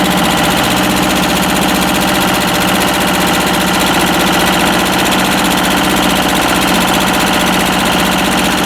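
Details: Westwood lawn tractor with Ruggerini twin-cylinder air-cooled vertical-shaft diesel, previously hydrolocked, running after repair with new starter motor: busy, even twin-cylinder clatter holding steady with no misses or heavy knock; normal running.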